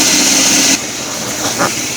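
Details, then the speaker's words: 2008 Chevy 2500 6.0L at idle: a high, thin, steady squeal that cuts off sharply. Owner suspects a failing belt tensioner or idler pulley bearing, most likely the tensioner. "what a weird noise coming from my 11 a Chevy Silverado I'm sure you can hear me I think my idler pulley or my ditch the pulley it's going bad"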